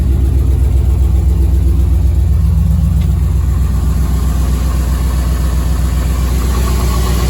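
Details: Chevy S10 with V8 swap built about 11 years ago, long stored after fuel pump failure; running on old gas with a Silverado pump fitted. Even, steady V8 rumble with a regular low pulse, no misses; normal running.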